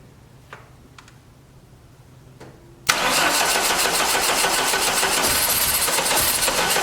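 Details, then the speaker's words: 1989 Dodge Daytona from a junkyard, rings freed with transmission fluid, in neutral with premixed gas poured in: slow, labored cranking that never catches as the battery weakens; owner suspects fluid in the cylinders and flooding; slow crank, no start. "get off uh just trying battery's getting weak she's crying she's got a lot of that uh transmission fluid down in the cylinders where i had uh got the rings freed so it's got to burn all that off the top plus we're probably just flooding it real bad"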